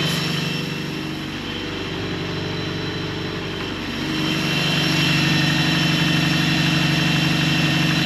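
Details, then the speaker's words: 1983 Toyota Pickup SR5 parked about a year, idle turned down: steady idle with a light, even rattle about four times a second over the engine hum from a worn timing chain guide. "Idle right down and now you can really he that freaking chain guide I'll fix it someday I promise"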